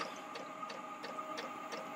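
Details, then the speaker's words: Maxpeedingrods 5 kW diesel air heater running at 0.5 kW after heavy smoke at startup: light, steady fuel-pump ticking about three times a second over a soft fan hum. Normal operation. "the heater is fully functional now it was a lot of smoke at the beginning as you can hear it's working fine no problems"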